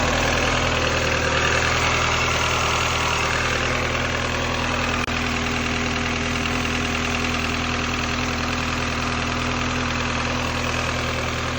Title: N12 cold start with piston slap.